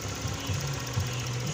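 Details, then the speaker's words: Euro Motor small single-cylinder motorcycle after a no-start with only clicking, starter relay and terminals cleaned and reconnected: steady, even idle with a fast regular putter and no knocks or stumbles; normal idle. "Andar na mga kaipak oh."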